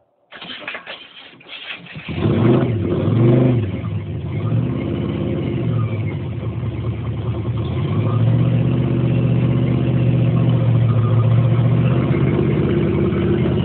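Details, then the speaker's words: Truck V6 first start after starter engagement fix; steady even fast idle at 2100 rpm, good oil pressure and voltage, water temp rising (later ran hot); normal high idle. "all right we got our sitting right at 2100 rpm we got great oil pressure great voltage our water temp is starting to come up"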